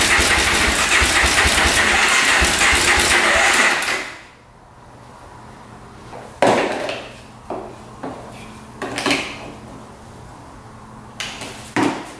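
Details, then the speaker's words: 2004 Suzuki LTZ400 quad, after carburetor cleaning, tank cleaned and fresh fuel: fires on choke, runs fast briefly, then dies; idle then turned up since throttle was set a little low; no smoke; coolant empty, oil low. "it's running little pick up top just shuts off all right we're going to turn the idle up a little bit there we go it's iding good now throttle was just a little low"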